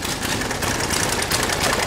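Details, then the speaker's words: Military diesel KLR motorcycle just started after priming, air still in the system: rough, uneven idle with ragged knocking clatter; injection pump timing being tweaked by shifting the pump on its slotted holes to steady idle; fuel lines leaking. "we're going to put a tweak to the cliff and it's going to clear up we'll see that idle clear up and get steady"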